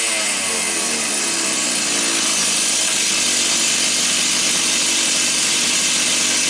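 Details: Stihl 028 AV Super chainsaw, said to have low compression, after new piston: high, even two-stroke scream held steady with no stumbling or surging; runs clean and strong, idle set very low, carburetor found slightly rich on high speed, lean on low.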